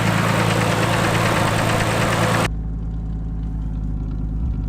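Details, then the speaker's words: Nissan R33 Skyline turbo after fitting new Splitfire coil packs to fix breaking-up, a shattered connector repaired: steady idle with a faint, even tick about four times a second riding over it; source of the tick unclear. "So that was the issue. Seems to be some sort of a little ticking sound now."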